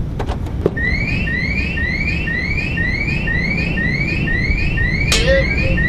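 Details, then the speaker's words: 2014 Toyota Vios factory alarm triggered: a thin, feeble rising chirp repeating about four times a second over idle, sounding as if the battery were dying; weak alarm siren. "alarm triggle sound is weak sound like the car run out of battery."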